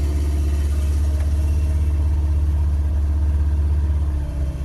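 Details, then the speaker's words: Ancient Ford Courier just started after pumping the gas: a deep, heavy idle rumble with a steady beat and rough edge. The engine is kind of noisy at idle, cause unclear; the oil light is on and it smells stinky. "kind of noisy all the gauges are working"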